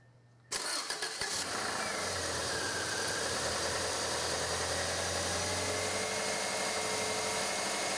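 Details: 1996 Subaru Legacy 2.2L after fuel pump assembly replacement for a no-start and stalling condition, primed three times until pressure built; brief cranking, catches within a second and settles to a smooth steady idle, repair confirmed.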